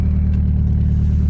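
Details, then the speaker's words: 2010 Ford Focus 2.0, warm after about 40 minutes running and 10 miles driven: heavy throbbing low rumble with a pulsing beat and vibration at idle, running badly; diagnosed as misfire from a clogged catalytic converter. "2010 Ford Focus 2.0 runs pretty bad runs and drives"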